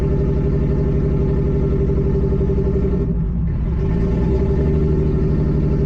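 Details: Nissan G35 with 1JZ swap on ECUMaster EMU Black; deep uneven rumble with irregular lumpy beat and brief sag midway, rough; owner suspects old, very low-octane fuel, unconfirmed.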